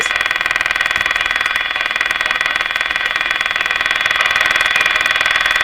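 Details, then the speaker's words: Canadian Westinghouse Model 684 radio after IF bypass circuit rework, on live antenna: harsh, steady rapid buzz over station hiss; owner believes the interference is external, not from the radio. "Now that interference, I'm pretty sure, is not the radio."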